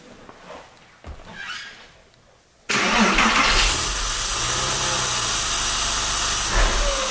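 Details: Porsche 996 Carrera, M96 engine, 59k miles: quick crank that settles into a steady idle with no whirring or grinding, and the earlier bearing noise is now soft; oil in the coolant points to the air-oil separator.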